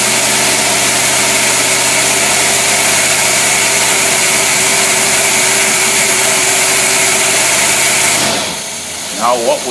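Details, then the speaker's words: Carbureted V8 with rebuilt Rochester Quadrajet on dynamometer under about 4,000-5,000 lb load, taken up to top cruising RPM: loud steady smooth roar with no misses or knocks, then drops off cleanly; normal running under load. "That load will keep loading up the engine until it actually stall it out, but there's no sense of doing that. So we take it up there to a certain RPM that we figure is about as fast as you'll ever drive it."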